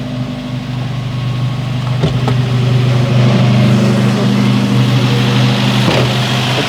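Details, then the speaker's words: 1973 Opel Manta A, 1.9 L CIH engine, just restarted after DIY cylinder head refresh (new head gasket, valve seals): steady fast idle, even low chug with faint light clattering, not bad; normal fast idle, valve lash still to finalize. "the fast idle there's a little bit of clattering I can hear just a little bit but not bad not bad"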